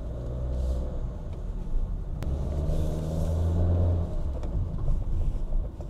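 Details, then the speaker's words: Used Honda Fit GK5 in an underground garage after replacing the sway bar link ball joints and both outer tie rod ends for a front thumping clunk: low, steady road rumble, no knocks over bumps; clunk gone, steering play reduced. "已经不响了，这下真的是解决问题了。方向盘的虚位啊也不明显了。"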